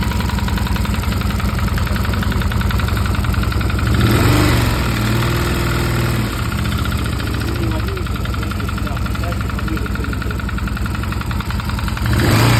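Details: Stels Guepard 650G ATV engine: a regular knock near 220 per minute rides over an uneven idle and swells with throttle blips; engine knock, source unknown.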